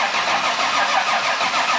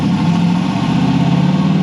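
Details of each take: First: Nissan S13 with new plumbing, now reaching almost 70 psi versus 45 before: engine catches and settles into a smooth, even idle with no knocks or ticks; sounds healthy, much better. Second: Nissan S13 at idle, steady but slightly uneven loping beat as one cylinder drops out now and then; miss isolated to one cylinder with a wet plug, injector, plug or cam suspected, unconfirmed. Engine misfire.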